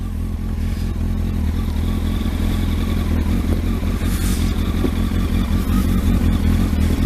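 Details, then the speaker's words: Kawasaki ZX12R motorcycle after clutch install, started cold on choke and warming up; strong steady note with crisp throttle blips, no knocks or slipping: normal running. "looking H take your time Ida that sounds really sweet doesn't it"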